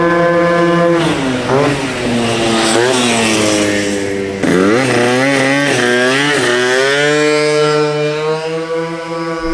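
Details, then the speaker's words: Honda Elite 120cc stroker build on first start, with a 28mm carb, roughly 52 pilot jet and new plug: a loud, crisp two-stroke buzz revving cleanly and freely on throttle blips without misses. It runs healthy, just with a loud exhaust. "Oh, that sounds good though. Like the stroker sounds"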